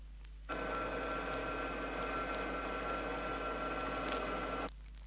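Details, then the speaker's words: 1970 Chrysler rear axle demonstration with properly set pinion depth and correct tooth contact pattern: a low, soft, steady hum lasting about four seconds with no harsh whine or grind, a healthy gear mesh. "notice that the sound is very low deciel and is in the nature of a hum and not harsh"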